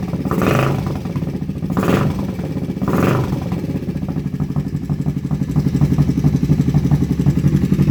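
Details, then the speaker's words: Kawasaki Vulcan 500 at first start after a carb kit, choke pulled: a few rev blips, then a lumpy idle with light, regular tapping about four times a second; top end noise suspected, not confirmed. "we have running go ahead and pull the choke again sounds like we might have terrible top end noise"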